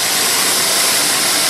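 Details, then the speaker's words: 2001 Buick LeSabre that began misfiring: after an EGR valve swap, a loud steady airy hiss over a faint idle reveals a vacuum leak; the EGR O-ring was found rolled and its tab broken. "I don't know if you can hear that hissing noise I I didn't notice that before but I sure hear it now looks like I've got a bit of a vacuum leak"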